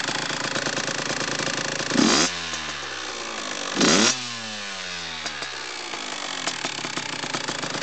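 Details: Kawasaki KX85 two-stroke idling and blipped twice, with a dry, rapid metallic rattle from piston slap.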